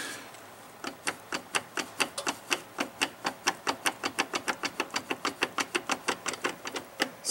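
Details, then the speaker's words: 2002 Chevy Blazer, noise from the front in four-wheel drive: sharp, regular clicks about four or five per second as the front driveshaft is worked by hand at the transfer case; play in the rear CV joint of the front driveshaft: worn CV joint. "so I'm going to say the issue with the noise is in this joint right here"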